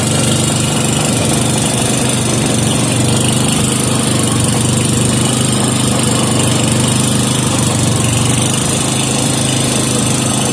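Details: 5hp Briggs and Stratton single-cylinder with gear reduction, warming up oil after a no-choke start: steady even putter at fast idle, no misses or surging; settled, healthy normal running.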